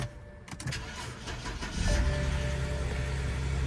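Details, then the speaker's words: 2006 BMW 325xi, N52 engine, automatic, AWD, after two bad camshaft sensors (cam synchronization faults) and a fuel injector were replaced: short crank, then it catches cleanly into an even idle. Healthy start, no check engine light. "went ahead and put two camshaft sensors in it and we put that fuel injector in it now it runs beautiful and it has no check engine light"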